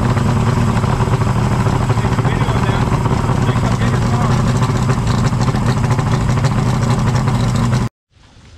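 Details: Yamaha 150 TXRC two-stroke outboard, three carburetors just rebuilt, first start on known good fuel without starting fluid: strong steady low drone for eight seconds, no stumbling or surging, then shuts off cleanly; runs normally after rebuild.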